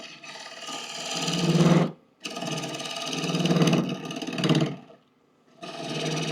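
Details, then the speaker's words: Wood lathe roughing deep maple bowls: long rough roaring cuts with a low droning chatter underneath, dropping out between passes; chatter noise from the tool rest set a little too high, previously preceded bowls popping out of dovetail jaws. "yeah that noise usually means I have my tool res a little too high"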